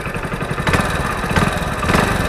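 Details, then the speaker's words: Hero Splendor Plus BS6 single at idle: quick, light top-end tick on each firing pulse over an even beat; owner suspects degraded engine oil, cause unconfirmed. "आवाज आ रही है अब हो सकता है कि oil खराब हो रहा है इस वजह से आ रही"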